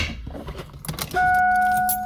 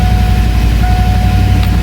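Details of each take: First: Fox Body Mustang with an upgraded high-torque mini starter: a steady starter whine keeps singing after the engine catches and lingers over the idle; starter hanging engaged, from a wrongly run jumper loop from the solenoid to the starter motor. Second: Fox Body Mustang on jack stands after upgrading to a high-torque mini starter rewired the Ford way: engine fires and runs with an even, low rumble, no grinding or lingering starter whine after it catches; starter not hanging, disengages normally.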